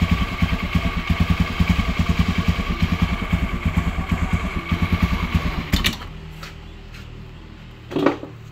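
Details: Honda Beat carburettor scooter (KVY) after cleaning the dirty starter mechanism: small single putters evenly at idle for several seconds with no rattle from the CVT side, then switched off; normal idle.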